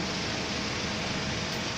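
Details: Hyundai H-1 van, 135,513 km, idling parked in sun with bumper off, after replacing failed electric fan, drier filter, AC compressor clutch bearing and compressor oil: steady even air rush over low fan hum, no rattle or surging; AC blowing normally, rear cabin 8.9°C vs 33.9°C ambient.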